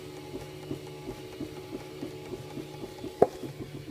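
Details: Ultimaker 2 (UM2) filament feeder while running: sharp, even ticks about three a second with one louder snap; cause not evident.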